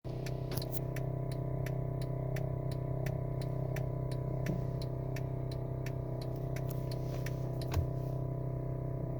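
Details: 2011 Honda Odyssey with an aftermarket active engine mount: sharp light ticking about four times a second over steady engine hum, from the noisy rattling aftermarket mount replacing a broken OEM one.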